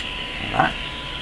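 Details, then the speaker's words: Grundig Satellit Professional 650 shortwave band, 1 kHz test tone: loud steady hiss with faint thin tone poking through; very weak reception, owner suspects misalignment. "you can hear the tone in amongst all this hiss not enough signal coming to the radio"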